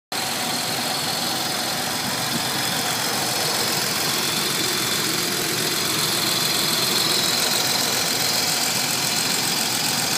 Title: 300ZX TT Vacuum Leak